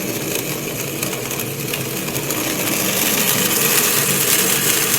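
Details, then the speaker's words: Acrylic centrifugal pump trainer driven by an electric motor through a magnetic coupling: with the suction valve throttled, pressure drops and the pump cavitates, giving a dense, crackling rattle like rocks or gravel going through the pipe. "sounds like rock literally like rocks going through the pipe and again we cause this by dropping too low over pressure because it flashes to occur and when the pressure rises again the bubbles collapse"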